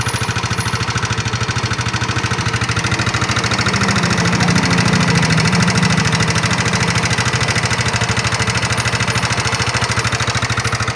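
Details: Yamaha NMAX scooter, still running rough after a cylinder block replacement: sharp, regular ticking knock about three per second over a steady idle from inside the engine; mechanic suspects the connecting rod, unconfirmed.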